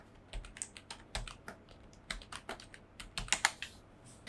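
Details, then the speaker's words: Budget membrane keyboard modified to feel mechanical, after foam insert: soft, even key taps in irregular bursts, clacky sound gone and no stabilizer rattle on long keys; smooth, quiet normal typing. "At least మనం foam insert చేసిన దానివల్ల చాలా వరకు ఆ sound అనేది పోయింది. ఆ క్లాకీ feel అనేది పోయింది."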